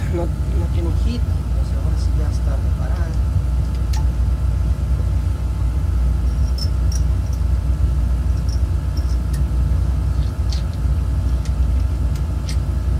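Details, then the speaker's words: Oil-fired heating boiler burner after repair: it had made strange noises and shut off because the pump coupling wasn't gripping the pump so oil wasn't drawn in. Now a steady, even low roar, no surging or rattle; runs normally. "Excelente. Y suena bien suavecito, ¿va? Ahí estamos, llamar un rato que corra."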